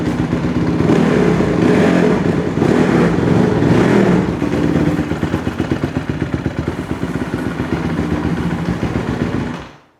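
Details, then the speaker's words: 2008 Honda CRF150RB dirt bike bought cheap with a carb issue; after dialing in the idle and the fuel screw on the bottom of the carburetor it runs right: crisp, even single-cylinder beat pulling cleanly through revs, settling back without stumble or hanging idle. "all right guys so we finally got the bike running right it was just uh really dialing in the idle and the fuel screw on the bottom of the carburetor"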